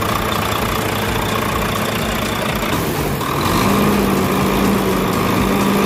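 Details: Volvo truck diesel during hard-starting fuel-system troubleshooting: settles into a steady, even idle with a smooth low rumble, no misfire or stumble; normal idle.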